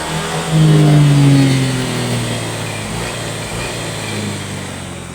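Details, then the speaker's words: Honda Click 125 with a faulty throttle body sensor: engine revs then sags and stumbles on acceleration, won't pull, with the warning light on. With the lower sensor unplugged it revs freely and the light goes out; replacement is planned. "นี่ตอนใส่อยู่มันบูบๆๆๆเร่งไม่ค่อยขึ้นวิ่งไม่ได้เลย"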